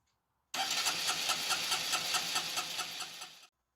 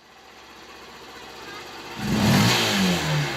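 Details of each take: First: Honda 125 that misfired under load and would not rev cleanly from idle to full throttle: rough, uneven revving with stumbles. The fuel injector was clogged by a cloth-like debris piece, spoiling its spray pattern. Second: Honda 125 motorcycle that misfired under load and revved slowly, after cleaning a cloth-like blockage from the injector and restoring its spray pattern: quiet start, then picks up cleanly and revs with a smooth rising note, no stumble or misfire.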